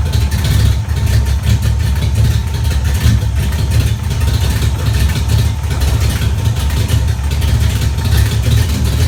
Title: Exhaust leak 94 gt